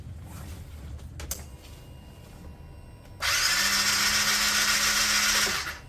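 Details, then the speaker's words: Piaggio Fly 125 scooter non-starter: starter spins the engine in an even, fast whir with no compression chuffs; compression test near zero, valves suspected not working, catastrophic internal engine failure. "or zero that's ridiculous I can't believe that anything a come on we're in wow yeah something uh catastrophic you can hear it you can hear it it's not pumping it's like it's not turning the uh it's like it's not turning the valves"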